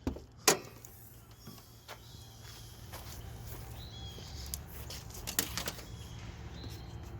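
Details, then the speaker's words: Dodge Ram 1500 with crank-no-start, fuel pump relay in the TIPM jumpered with a wire: faint steady buzz under clicks and handling noises; electric fuel pump running. "all right i can hear the fuel pump buzzing fuel pump is running"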